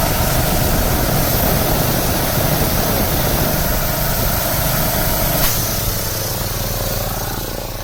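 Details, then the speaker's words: Harbor Freight 9-gallon air compressor, about five years old, started for sprinkler blowout: loud steady even motor-and-pump drone, no knocks or surging, easing slightly at end; running normally. "we start the other compressor no problem"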